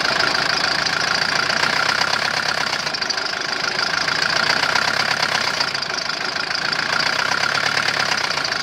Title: Стук двигателя om601.970